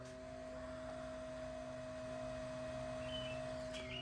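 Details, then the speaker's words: Old LED headlight bulb, before replacement with a quiet NOVSIGHT bulb: its small built-in cooling fan is loud enough to hear from a distance. A constant high, thin whine with a lower hum underneath, unchanging; a noisy bulb cooling fan. "That is so loud that, I mean, you could hear it from here."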